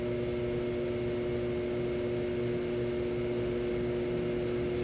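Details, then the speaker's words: Shopsmith 10ER with Leeson 3/4 HP 2500 rpm DC motor and KBMD240D controller, medium range about 200 to 4,000 rpm, pulleys trued, no belt guard: steady even hum, no knock or wobble; runs smoothly. "4,000 in mid mid-range not bad at all [Music] 200 to 4,000 that's good for just about m"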